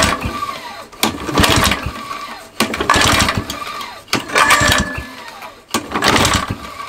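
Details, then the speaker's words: Mountfield Emblem 2-stroke lawn mower with new points, being started: short bursts of scraping about every second and a half as it catches and dies, attributed to the pull starter; scraping noise. "make that noise that's scraping noise is the pokéstar"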